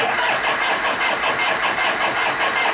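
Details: 1973 Harley FX 74ci Shovelhead Super Glide after frame swap, old varnished gas, choke off, wide-open throttle: steady starter churn with even compression pulses about six a second, never catches; cranks but won't start, plugs likely wet, ignition module later found burned.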